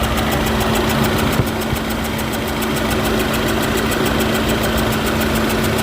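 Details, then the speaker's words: Volkswagen GTI direct-injection engine idling before repair, misfiring: fast light ticking about four per second over steady hiss from under intake manifold; combustion gas leak found from burned-out injector seal. "yes how the intake manifold has been removed and we found I found out there is no uh seal you see the seal it was burned out because of the combustion"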